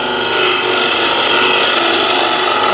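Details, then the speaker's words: Dull scraper (no burr) on a wood lathe: harsh, hissy, forced scraping with no low end; it needs a lot of force and leaves messed-up grain. "now this is a lot of force to get it to scrape and I hope you can see a lot of messed up grain here"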